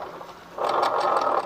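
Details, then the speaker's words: Honda Vario fuel-injected scooter, rear wheel turned by hand: a coarse, gritty growl from the CVT area. The rear pulley bearing is suspected as the usual cause but was not yet confirmed. "jadi motor ini kendalanya suaranya kasar ya saya kasar di area CVT atau Garden"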